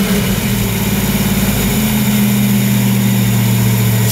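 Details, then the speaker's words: 1995 Mustang GT V8 revived after sitting for years: it catches on starting fluid and runs roughly with oil pressure for a few seconds, then dies as the fuel runs out. "woo got oil pressure ran out of fuel it's got oil pressure sweet that sounded terrifying"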